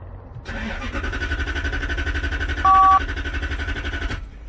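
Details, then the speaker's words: 1993 Lexus SC400 4.0, 105,000 miles: quick, even cranking about 3.5 seconds that never fires; no fuel pump command from the faulty engine computer. "it's a bad computer let's not get in any command to the fuel pump control module"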